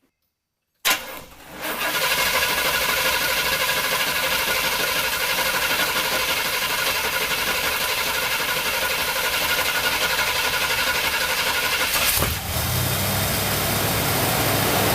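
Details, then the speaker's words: Saab 9-7X with a dead battery, jump-started using the AVAPOW A68 6000A jump starter's force start: a click, about eleven seconds of steady cranking, then the engine catches and settles into an even run. "okay wellow I was not expecting that it actually started uh all right well that concludes that test"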